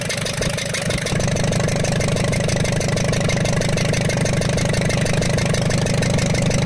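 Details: Ashok Leyland Captain BS4 N4 diesel truck with low pickup, smoke and engine noise, turbo manifold disconnected: steady idle with a sharp, regular ticking clatter; valve bridge on the rearmost cylinder's rocker had slipped off and fallen, with raw diesel leaking there.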